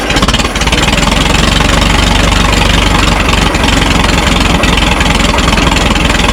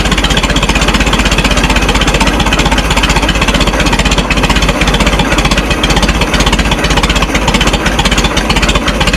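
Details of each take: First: Minneapolis Moline Z tractor after rewiring, choke pushed in: slow, lumpy chugging close to stalling, laboring; idle speed too low, owner suspects the carburetor low idle set screw and adjusts it next. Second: Minneapolis Moline Z tractor after rewiring and adjusting the carburetor idle screw: steady, even low thump about two beats a second, no misses or knocks; normal smooth idle.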